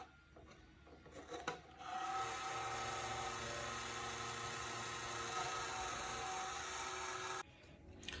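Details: Computer power supply fan: a steady rasping whirr with a faint scraping rhythm once the fan spins up, then it stops abruptly. A grinding fan.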